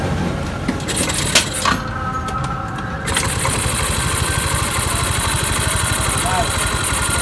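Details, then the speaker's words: Yamaha Mio 125 scooter after a misfire with fault code 15 (TPS), traced to a corroded green TPS signal wire, TPS set to 18: fires quickly and settles to a steady, even idle; normal after repair. "oke menjadi motornya udah kembali normal Ya udah kembali normal"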